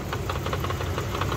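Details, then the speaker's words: 1999 Dodge Durango SLT, sat 14 years, after exhaust manifold refit with plug wires swapped: quick steady knocks of seven or eight a second over rough idle; owner suspects it's near the flywheel, not the engine. "now that it's quiet listen to that sounds like it's inside it I don't think it's the engine I get something inside uh"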